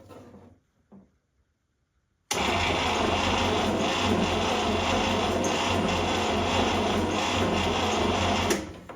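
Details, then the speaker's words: 1960s International Scout 800 Aristocrat, long-sitting, freed seized engine, points ignition: steady starter churning six seconds, no firing; crank no start, no spark. "I'm getting no spark there. I might need to check the gap."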